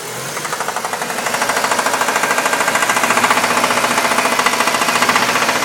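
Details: 1998 Dodge Neon engine: steady, sharp metallic knock about three to four times a second over the running note, engine knock.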